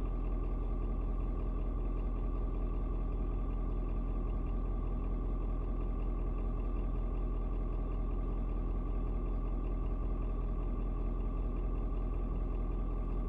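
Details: Ford Super Duty 6.7 diesel, after a 56°F cold start: rpm drops slightly to an even, settled low idle, no misses or knocks; owner unsure if block heater turning off; normal idle.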